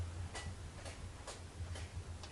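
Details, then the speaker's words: Flood-damaged Subaru Forester XT from a hurricane salvage lot, suspected water-contaminated fuel pump: relays click about twice a second at key-on over a low hum, engine not turning over, no check engine light. "That's good. That's the relays. You can hear them clicking. That's the relays, yeah."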